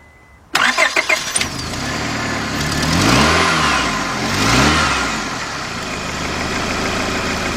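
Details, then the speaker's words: 2002 Honda Accord 2.3, cranks-no-start, after spark plugs cleaned and bad plug wires found: a short crank, then it catches at once, revs a couple of times and settles to idle. It starts and runs but hesitates on throttle; fuel pressure still questioned. "last we got it running but I noticed that when I hit the accelerator it's like it likes want to stall out"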